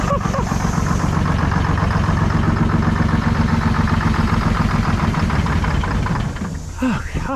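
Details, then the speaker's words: 1970s Chevy C70, Detroit Diesel 6V53 two-stroke, sat about 30 years, first start: loud flat-out drone with fast even beats, then abrupt wind-down after intake is covered; overspeed, rack suspected stuck open. "I I've never actually had a runaway diesel in person, but you guys heard her going. I wouldn't really call that a runaway. I I think the rack was just probably stuck open."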